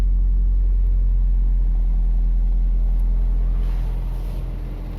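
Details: Toyota Vios that cranked but would not start, now running. Low, steady, smooth petrol idle without misses or knocks; normal idle.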